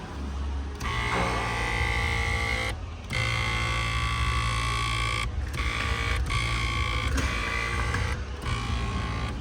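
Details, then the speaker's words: 2014 Kia Cadenza driver-side power seat: seat motor runs in short bursts with a loud buzzy grinding whine from something rubbing the seat track, much louder than normal. "Yep. That's the problem, guys. It's a lot louder than normal."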